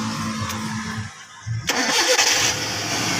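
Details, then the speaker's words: Long-stored carbureted engine after overhauling a stuck, dirty carburetor, fed petrol from a 1.5-liter bottle: brief crank, catches on the first try and settles into a steady even run; started with one click. "One click. Ganda ng minor."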